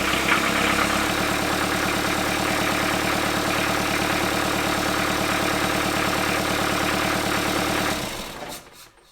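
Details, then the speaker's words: Diesel Kubota-swapped Wrangler after final assembly, with the tachometer rpm signal just sorted out: steady, even diesel clatter at idle with no knocks or misses, then a clean shutdown; runs healthy. "so i think everything's good surprisingly i figured out the rpm"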